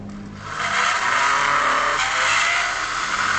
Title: Vacuum cleaner 2kW Motor Bearing fail...